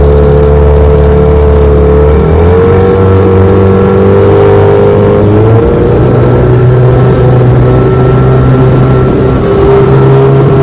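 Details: 1996 Johnson 15 hp outboard after carburetor repair, pushing 14 ft Feathercraft about 20 mph: steady strong drone with smooth pitch shifts as throttle changes, shifts into gear with no hesitation; clean under load, healthy.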